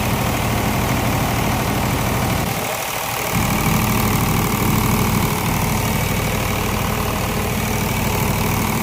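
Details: Flood-damaged (water-ingested) diesel engine just rebuilt and reassembled, exhaust manifold fitted, first start: loud, steady diesel clatter at an even idle with no misses or heavy knocks, running normally.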